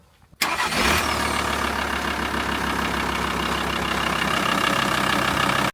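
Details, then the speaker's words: VW T4 diesel van after starter motor replacement (3-bolt job; old starter was failing): short clean crank, engine catches and settles into even idle with no whine or overspin, starter engaging properly; normal cranking and start. "There you have it. No noise, no nothing."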